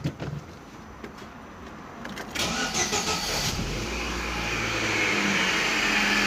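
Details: Chevrolet Celta/Classic after replacing accessory belt bearing: engine cranks, catches and settles into a steady, even idle with no bearing whir or chirp from belt side; normal start and idle.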